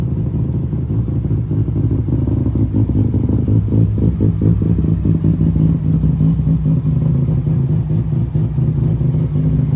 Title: Cars experiencing a rough idle and can’t figure out why?